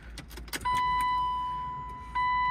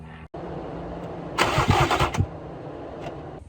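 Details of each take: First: E36 BMW 328i convertible, sat two years. Tank full with roughly 6 gallons new and 10 gallons old, smelly fuel. At key-on a steady high whine steps up and holds as the pump primes normally, but the engine still won't start. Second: Sitting two years: E36 BMW 328i convertible, said to need a fuel pump and possibly overheated once. Fuel pressure gauge on the Schrader valve while cranking. Starter gives rough chugs about three a second, never catches; no fuel pressure, so the fuel pump is replaced next.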